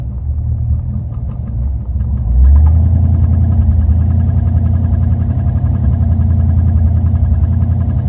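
Low uneven engine throb that lifts after a couple of seconds, beating irregularly around three to four pulses a second; idle running rough. Cause suspected, not confirmed.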